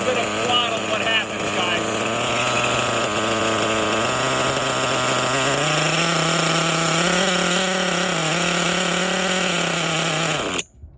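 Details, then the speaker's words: Kyosho Foxx 2.0 nitro RC, rebuilt, first startup, throttle trim at lowest setting: high buzzing revs rise slightly, then cut out abruptly as throttle released; clutch engaging too early, stalls, cause unconfirmed. "as soon as we apply a little bit of throttle you know it was it was going forward but the clutch was engaging just too early and and then you know basically i um let go of the throttle and the thing shut down"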